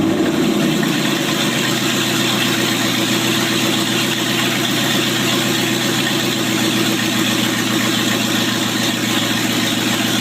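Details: 1995 Range Rover Classic LWB V8 now on MSD Digital 6A ignition with stock coil and open headers: quick crank and catch, then a loud, even open-header burble with no misfire; normal start, idle and revving.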